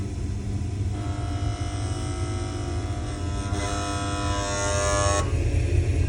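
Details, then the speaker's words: Nibe Fighter 360P heat pump: harsh electrical buzz rises over a low hum for a few seconds, then cuts out, repeating about every minute. The compressor is stuck/failed and draws about 15-16 amps without tripping anything. "buzzing noise like that every minute you know that your compressor is faulty"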